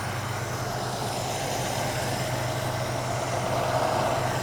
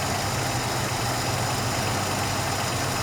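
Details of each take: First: Ford Capri Mk I 3000 GT XLR 3-litre, carburettor tune-up on the other side: idle revs drop immediately as mixture screw is adjusted too weak; lean mixture, less petrol for the air. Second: Ford Capri Mk I 3000 GT XLR 3-litre during carburettor tune-up: steady even idle, smooth low beat, no hunting or stumble; unscrewing mixture screw makes no difference, so mixture about right.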